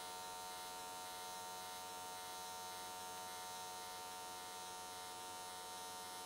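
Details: Square-wave AC TIG at 95 Hz on an S13 catch can, settings changed to smooth things out: steady, even buzzing hum, no crackle, spitting or wandering pitch. Normal, clean arc; welded all the way around in one session.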